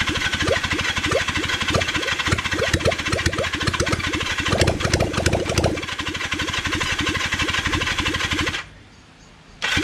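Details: Kawasaki Zephyr 750 motorcycle, carbs and exhaust just refitted, choke on; starter churns steadily, about three turns a second, for eight seconds without firing. Won't start; owner later realizes it had run out of fuel.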